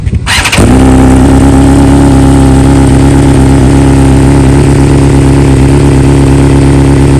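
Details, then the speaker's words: 2020 BMW S1000RR, just back from dealer after two coils replaced under warranty and software updated to newest stock version, flash removed: warm start, quick crank and catch, loud steady even inline-four idle, clean tone, no misfire; normal. "So obviously that wasn't a cold start. It was definitely more of a warm start, but we'll see how the real cold start sounds tomorrow."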